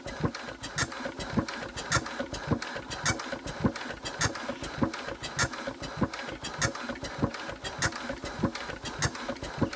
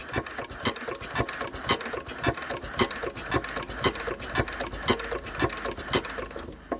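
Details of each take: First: Enfield diesel while cranking: sharp injector squeaks under two a second from one injector only, the other line holds air and gives no output; engine still won't run despite high compression. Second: Enfield diesel engine cranking after bleeding fuel and getting the second injector working (still won't run): sharp, regular chirps about twice a second, one from each injector; injectors chirping normally.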